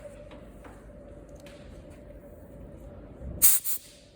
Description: Compression loss could be a reason for engine misfire and this compression loss may happen through the valve seats.